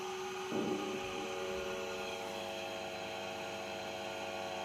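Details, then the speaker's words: 115V AC industrial fan on a variac at its 115 V maximum, lifted off the floor: a steady motor hum and constant airflow hiss with no ticking, rubbing or wobble. It is working perfectly. "it's working perfectly it's functional"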